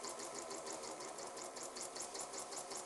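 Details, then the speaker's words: Horizontal flywheel model steam engine with Meccano gears, very small cylinder and relatively heavy flywheel, run on air and slow to build speed: quick, even chuffing about five or six beats a second, no knocks or stumbles; running smoothly. "you can hear it revving up but um yeah seems to run pretty well I'm quite pleased with that"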